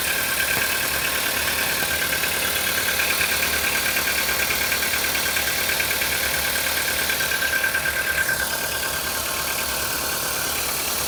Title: стук двигателя CFNA на холодную